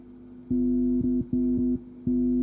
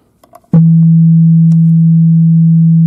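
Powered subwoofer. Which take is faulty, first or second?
first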